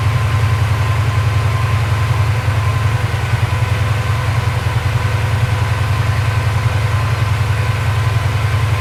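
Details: Porsche 928 V8, during mixture, idle and timing adjustment, tachometer not working: steady, even fast idle estimated 1100–1200 rpm, no misfiring now, sounds pretty good; an exhaust bracket still rattles.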